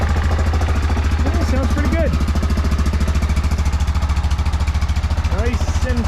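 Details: Yamaha Rhino 660 UTV after a new muffler bracket and the pipe bent clear of the frame: single cylinder idles with a steady, even thump, about 3.5 beats a second. Healthy idle, though owner later hears a possible clutch or engine noise when revved.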